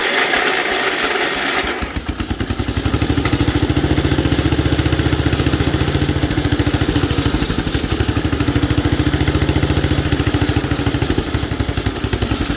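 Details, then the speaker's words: 1967 Gravely 430, sat outside for years, running on choke and throttle after first firing: catches after cranking, then fast, uneven, lumpy beat with wavering firing; rough running from debris against the ignition points. "it's not running good I know what the issue is oh that's going to be hot uh we got stuff against the points points usually don't like that"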